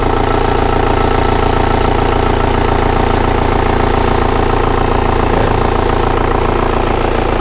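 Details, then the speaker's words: Kia Carnival diesel at idle, coolant showing no air bubbles: steady even clatter with a smooth regular beat, no misses or knocks; engine still in good, smooth condition comparable to an Innova. "bisa didengarkan ya suara Carnival diesel Ini Tiang masih bagus itu banyak segar halus setara dengan Innova"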